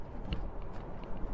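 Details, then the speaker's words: 2006 Saab 9-3 driving off the highway on an uneven surface: sharp clicks and crunches from hard cabin plastics and door trim, even where elbows touch, over low road rumble; interior trim rattles. "now that we're off the highway you can hear the rattles appearing again and even my elbows"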